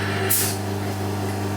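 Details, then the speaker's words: Medvedev vacuum capper for jar lids, vacuum source switched on before final autoclave sterilization of lecho jars: steady low pump hum after a short hiss of air; vacuum pump running normally and pulling vacuum, lids pressed down. "Включаем источник вакуума. Поехали. По звуку насоса слышно, что там вакуум есть."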